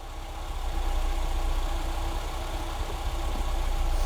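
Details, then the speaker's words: Classic Ford Fiesta barn find, warmed up with temperature gauge rising, choke now off, battery light still on with suspected alternator fault: deep even low rumble settling smoothly, no knocks or misses; normal warm idle. "yep the chok's off running on no choke Now"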